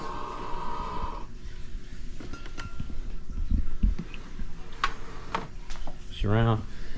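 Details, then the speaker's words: SimPure Y7P-BW reverse osmosis purifier right after finishing a flush cycle, source tank at minimum level; steady high one-second beep then clicks and handling, showing a pure water shortage alert to change water; low water alert. "okay so it's finished Flushing and now it's giving me a pure water shortage change water so"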